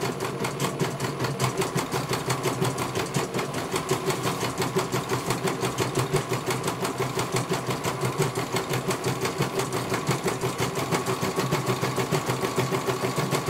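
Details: CNY computer embroidery machine serviced from Banjarnegara, Central Java, that arrived with its motor (dinamo) not turning at all and the bobbin case missing; fast, regular needle ticking over light motor whir, no grinding or hesitation, one colour finished. Normal stitching.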